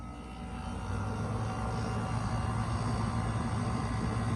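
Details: Window air conditioner starting up in a hot, humid garage: steady, even low hum with no knocks, rattles or squeals while the compressor builds head pressure. Running normally.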